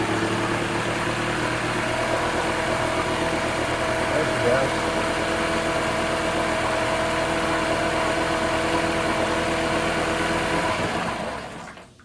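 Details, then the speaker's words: 1980s Honda four-stroke outboard (BL100) found in the trash, fuel lines replaced, first start: runs with a steady, slightly uneven beat about eleven seconds then cuts out, surging on restart; water pump working, owner hopes carb clean fixes it. "But you also heard it cut out and it's I tried to start it again and it's surging. So, I'm hoping it's just going to need to be a carb clean."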